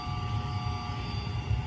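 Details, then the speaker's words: Septic tank aerator air pump, noisy motor replaced, running: steady low hum with a constant tone above it, no grinding or rattle; it pumps air into the tanks to stir the waste; normal running. "What that does is pumps air into my tanks and stirs up the toilet paper and the poop,"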